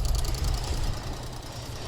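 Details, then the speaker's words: Purge valve commanded on with a Mucar CDE900 Pro bidirectional scan tool: a rapid, even ticking from the EVAP vent solenoid cycling as it should. "oh guys it's working do you hear it it's clicking oh it's this guy right here this is the vent solenoid"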